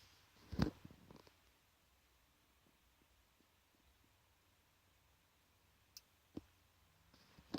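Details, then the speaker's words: Known-good Lexia diagnostic interface plugged into a car's OBD port with the ignition on, compared against a faulty unit. It finds the vehicle, and soft, sharp relay clicks come at irregular intervals: normal relay clicking. "It's searching for the vehicle again. Bear in mind this is the working one. Okay. Now it's actually loading this time. This is the working unit, by the way. It's detecting them all. Yes. It's making each individual relay click."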